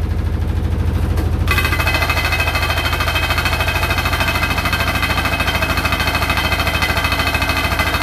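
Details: Hotpoint NSWR843C washing machine on final fast 1200rpm spin: drum winds up, then a loud hard rattle hammers evenly about 200 a minute with the fast spin; cause unknown.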